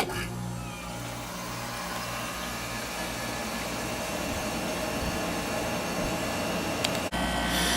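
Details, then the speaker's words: Sharp window air conditioner running on low speed: steady, even compressor hum with low fan whoosh and no knocking or rattling; healthy normal running. "This thing has such a nice compressor sound. It's running on low speed right now."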